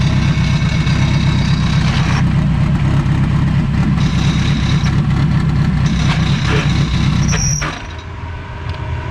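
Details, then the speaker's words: K-Series Civic whose clutch broke while backing up at the track, after a trans swap: loud rough running with uneven rattling clatter and no drive; it won't really go into gear, clutch disc splines stripped, blamed on the clutch brand. "Let me let y'all experience what the hell a clutch with no splines on it sounds like."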